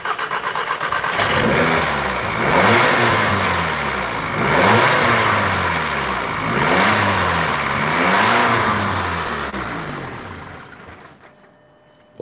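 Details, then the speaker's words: Audi TT 2.0 TFSI CESA, parked over a year, with codes P0016, P0506, P0108 and P0444. PCV and intake gasket air leaks were already repaired and old fuel drained. Engine speed hunts every two seconds, then sags and dies; it idles poorly but reportedly drives well. "once it started I'm told it actually yeah it idles really really poorly and then when it's actually on the road it actually drives quite well"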